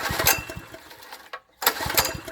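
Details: Poorly maintained wacker plate compactor, new plug with spark confirmed, a little fuel dropped into the carb: quick pull-start chuffing pulses, pause, more chuffs, never catches; won't start, carburetor suspected not working.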